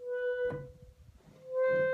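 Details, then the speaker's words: Reed organ, gamba stop on a problem key: single steady reed note drops almost out, returning only with much harder pumping until air runs out; the stop is slow to speak. "if I pull the gamba I [Music] have to pump a lot of air to it until you can't anymore and it night makes that noise"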